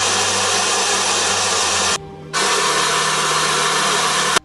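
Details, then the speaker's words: Washing machine during agitation and spin: loud harsh rasping roar cutting out briefly; loose drive belt slipping, comes off easily, fix by adjusting the motor position. "na hora de bater ela fica fazendo um barulho como mostrei também um barulho brab tanto na hora de bater centrifugar também"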